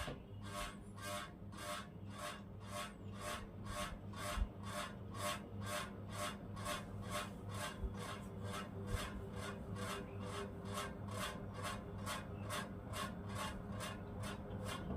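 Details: Ceiling fan still noisy after its bearing was replaced and the shaft found fine: rhythmic scraping tick about twice a second over a soft hum, sluggish; the capacitor is failing.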